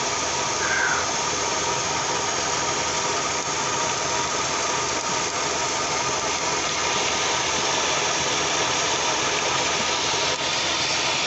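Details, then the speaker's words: Kia engine idling after ignition work: faint irregular snapping clicks over a hissy, slightly uneven idle as spark jumps where it shouldn't, likely shorting to ground. Ignition spark arcing. "hear that spark click click and then it jumps that's it's a jumping spark closing was short"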